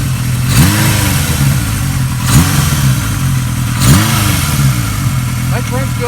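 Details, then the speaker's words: 1980 Kawasaki KZ650 revived after nearly 30 years stored apart, with Mac pipe header and rebuilt shocks: steady even idle with three quick throttle blips that rise and settle cleanly, no misses or knocks; runs good, no leaks or smoke. "good, doesn't leak, doesn't smoke, and I'm going to take her up the driveway here in a second."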